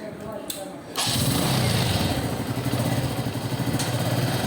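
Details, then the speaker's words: TVS Metro Plus single-cylinder bike after rocker pins polished and refitted and timing reset: brief thump, then even steady idle with no top-end tapping; sounds like original, normal idle. "নতুন এবং সাবেক sound হয়ে গেছে, একবারে অরিজিনালের মতো sound হয়ে গেছে।"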